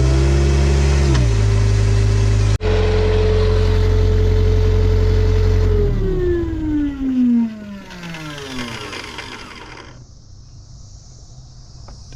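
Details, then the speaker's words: Hitachi EX75UR excavator diesel: a steady whine rides over the running engine for a minute or two, then winds down after shutdown; the starter stays engaged and won't disengage, likely frying it. Alternator also not working. "I think that starter is like running the whole time do you hear that shut down that cannot be good starter's been run that was running for a minute or two something's not turning the starter off"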